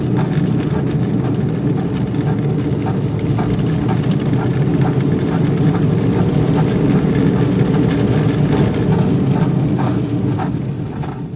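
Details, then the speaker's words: Nissan Sentra while driving, possibly more than one bad front wheel bearing, right side checked first, brake pedal rock solid: deep, steady drone and rumble with no clear rhythm; worst wheel bearing noise, if it is a bearing. "This is probably the worst wheel bearing noise I've ever heard, if it is in fact a wheel bearing."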